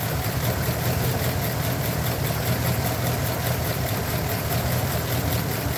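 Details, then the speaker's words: Truck idling choppy and unsteady with a low drone and occasional missed beats, checked with an inductive timing light. One cylinder on the side showed a slower, laggy response and is suspected as the culprit. Misfire at idle. "I'm gonna pull I'm not gonna physically pull the wires off but I am going to put my inductive timing light to it and see which ones are misfiring"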